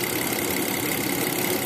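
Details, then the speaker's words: 2008 BMW 535i after repairing a misfire by fitting a driver onto the DME computer circuit board: steady, even idle with no stumbles. Normal idle, misfire gone. "this is a 2008 BMW 535i with the misfire we were able to put the driver onto the circuit board of the computer of the DME and it worked"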